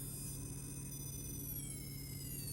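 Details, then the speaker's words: 1/24 RC truck with new Castle Sidewinder Nano ESC driving a brushless outrunner, not yet tuned: thin steady high-pitched whine over low rumble even at rest; ESC producing audible motor whine. "So you can hear there, we've got that old Outrunner whine still,"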